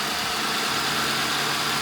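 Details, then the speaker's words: 2010 Ford Crown Victoria Police Interceptor, 4,658 engine hours, started on fuel poured into the intake because of a bad fuel pump: steady, even idle, smooth continuous run, no knocks or misses; engine sounds good. "Engine sounds good."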